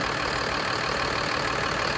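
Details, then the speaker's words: Diesel bus after replacing leaking push-to-connect air brake hoses and fittings with brass compression fittings: steady even idle, smooth low rumble, no hiss, compressor kicking back in normally; rapid compressor cycling resolved. "I think that's got it cuz you can hear it when the compressor kicks back in great"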